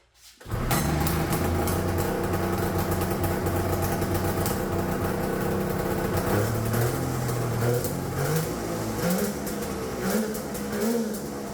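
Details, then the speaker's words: Turbocharged two-stroke triple on custom EFI (Spartan 2.0 ECU), during two-step testing: idle revs hunt and climb on their own, pitch wandering without throttle; erratic high idle from a vacuum leak, owner says. "oh I still got a vacuum that'd be why it's revving up all crazy let me fix that quick"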